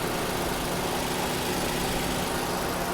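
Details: Nissan March whose noisy radiator fan motor, with failing bearings, was just replaced with a new motor: small petrol engine idles smoothly under a steady rush of air from the cooling fan, normal running.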